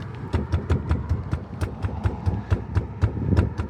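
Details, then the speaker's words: 1998 Nissan E50 Elgrand, about 10,500 miles of ownership, door shaken by hand: light irregular tapping, only a faint rattle left; glass used to knock the door panel over potholes, mostly fixed. "It's like this really annoying rattle. It first started with the window. The glass would rattle."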